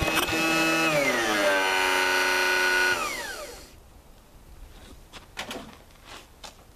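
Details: 1985 Lawn Chief mower, 11 hp Briggs & Stratton, with a new Champion plug and starter fluid: a strained crank whir drops in pitch and stalls abruptly after three seconds; the engine binds partway with internal knocking. Owner suspects the piston is hitting something or an internal part is broken.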